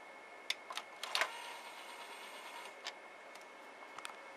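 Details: SV2000 VHS/DVD recorder combo, on pushing eject: sharp uneven clicks and ticks in a burst then sparse taps from the tape mechanism; cause unclear, described as a common fault on these units.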